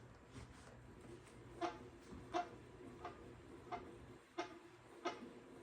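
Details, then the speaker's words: Pooboo stationary exercise bike, squeak worst on first getting on, short bright squeaks about 88 per minute while pedaling, persisting after tightening cover screws; owner rules out belt, suspects something inside, unconfirmed. Rhythmic squeak while pedaling. "Still squeaking. See if it's gonna go away. So it must not be the belt. It's got to be something else squeaking inside here besides that belt."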